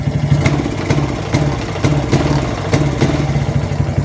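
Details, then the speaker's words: Suzuki Titan/Smash motorcycle with battery disconnected: engine stumbles, pops unevenly and won't rev, dying when throttled; faulty regulator/rectifier (kiprok), runs normally with new battery. "kalau dia digas berebet berarti memang kiprok yang bermasalah teman-teman ya"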